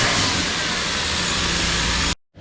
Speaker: Alright, first start after the header install. No apparent exhaust leaks here.